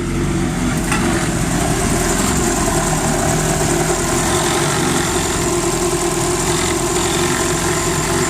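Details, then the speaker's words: Non-VTEC Honda B20 four-cylinder just after installing decapped E85 injectors (1000cc, timing readjusted, tuning still needed): steady, smooth idle, even low drone, no ticks, knocks or hunting; running well. "I'm impressed. Thing sounds like it's running pretty good, actually."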